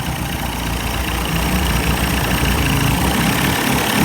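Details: 1990s 30 hp Evinrude outboard, warm, after carburetor rebuild and adjustment, restarted after heavy priming: steady buzzing idle, even firing, no hunting or stalling; runs fine, new spark plugs still planned.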